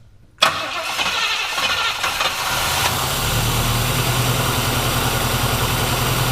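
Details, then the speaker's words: Classic car that has been sitting for years, diaphragm carburetors without floats: cranks and catches, then an uneven stumbling idle with an irregular low pulse; owner suspects a blown diaphragm or just finickiness, unconfirmed. "well sounds like might have float issues or something oh that's right no floats now all diaphragms be a blown diaphragm or it could just be its finicky it's been sitting for years"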